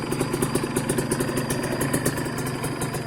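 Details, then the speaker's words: Used Kawasaki Ninja 150 two-stroke motorcycle checked before buying: fast, slightly uneven popping idle with raspy exhaust, no heavy crank knocking; slight roughness is normal for a two-stroke. Normal idle. "Kalau agak kasar gak masalah ya agak kasar gak masalah yang namanya dua tak itu Ya wajarlah ya gitu"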